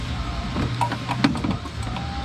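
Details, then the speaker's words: 1969 Chevelle wiper motor on high speed after rewiring (pins were mislocated): steady low motor hum with sharp relay clicks; wiper motor running normally, though the linkage splines on one side are destroyed. "we now have low [Music] speed we have highp speed if you listen for the click"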